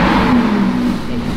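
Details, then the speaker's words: Crashed Lamborghini Huracan V10, 29,000 miles, front damage, a front cooler missing so only briefly run; short clean rev rising smoothly, no knock, rattle or misfire: normal revving, sounds good. "it's absolutely mint it's a Macker it sounds good"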